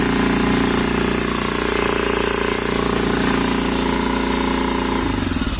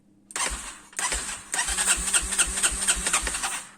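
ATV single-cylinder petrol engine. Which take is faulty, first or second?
first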